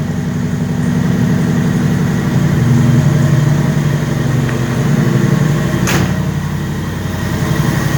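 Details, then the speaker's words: 6.9 diesel idling just after a cold start: even, steady diesel clatter about four beats a second, no misses or knocks; healthy cold-start idle. "So just a little update, cold start."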